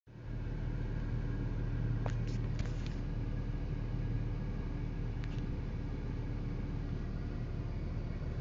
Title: 2012 Infiniti G37x Sedan weird interior buzzing noise